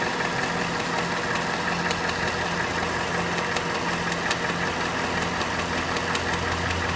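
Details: Cadillac Northstar 4.6 V8 idling hot: sharp light ticks come and go at uneven spacing over the hum; intermittent clicking only when hot, source not identified.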